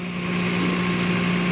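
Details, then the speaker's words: 2009 Toyota Land Cruiser GXR 1GR V6 at idle: a fast puffing tick from an exhaust leak on the left side; the manifold face proves clean, and a pinhead-size leak is thought to be lower down, below the door. "فراح اشغل الموتر حتى تكون الصوره واضحه في صوت تفتفه من هنا او من اسفل اسفل المصاري انا من وجه القزوز"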